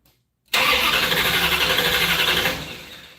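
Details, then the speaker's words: 1968 Barracuda first start attempt: about two seconds of steady cranking at roughly four beats a second that never catches, with no smoke. The owner is checking for spark with a test plug and believes it isn't sparking; ignition power reportedly drops while cranking. "yeah I know one thing is will you see if that's sparking I mean I know it's not"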